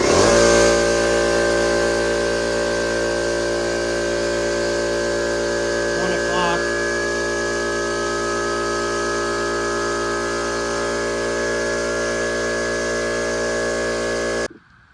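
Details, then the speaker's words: New Harbor Freight McGraw 20 gallon 135 PSI air compressor, first run: steady, even motor hum with whirring tone, no knocks or rattles, cutting off cleanly after about 4 minutes filling from 0 to 135 PSI; normal running. "Alright, so as you guys could see, it took about 4 minutes to get up to 135 PSI from 0, which is not too bad."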